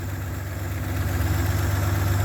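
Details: 1967 GMC panel truck with 3-speed column manual, idling: low, even idle with a smooth, steady beat and no ticks or knocks; healthy normal idle.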